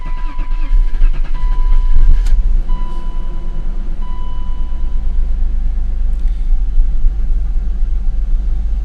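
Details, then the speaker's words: BMW E39 528 with a no-start, black smoke and a P0335 crank sensor code, after three crank sensors; airbox off. It cranks long, then catches rough and slowly steadies. Owner suspects carb cleaner caused the hard start; cold start still doggy. "some of that hard start could be from the carbo cleaner and crap to clean the uh cold start still doggy"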